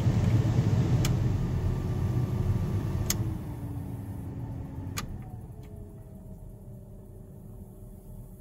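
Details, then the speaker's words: 1st-gen Cummins truck heater blower after replacing the 30-year-old blower motor: a steady airy rush with a light motor whine that settles smoothly, no scraping or ticking; blows better than ever, normal operation. "blown better than it ever has. Okay, that thing works uh amazing. Way better than it ever has."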